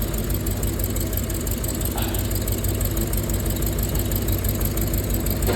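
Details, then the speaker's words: Rolls-Royce Silver Cloud S2 V8 at idle: low, lumpy idle with an uneven thump about three times a second from two misfiring cylinders on the driver's side; plugs and cables to be replaced. "So 2 of the cylinders on this side have a misfire."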